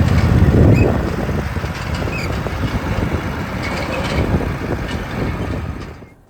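Single engine chugging along steadily under outdoor noise while the tractor drives, with no misses or knocks. It sounds healthy.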